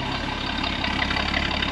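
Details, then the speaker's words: 1963 Ford Falcon Ranchero after new exhaust, wiring and air cleaner repair, needing carb tuning: idle wavers and stumbles unevenly; rough running on old stale gas still in the tank, not yet pulled for new sending unit. "oh yeah definitely old uh you can old gas I have not pulled the tank to put the new fuel sending unit in"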